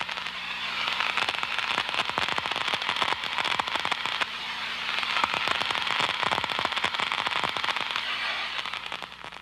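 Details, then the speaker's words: Ultraprobe 2000 ultrasound leak detection using liquid leak amplification: low-surface-tension liquid poured over a suspected gas leak forms bubbles whose collapse creates distinctive ultrasound, heard as dense, steady, irregular crackling and popping like frying fat. "it forms bubbles these bubbles collapse creating ultra sound which is distinctive and recognizable"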